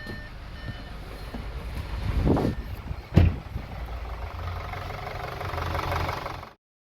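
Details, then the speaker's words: Audi A4 1.8 TFSI manual, misfire on startup at idle: turbo petrol engine idles unevenly with heavy stumbles and a light rattle, should log an engine fault; camshaft adjuster noise suspected, not confirmed. "Got a bit of a noise from the engine. Going to start it up. Should be giving an engine fault. Here we go. Engine here, some strange sounds."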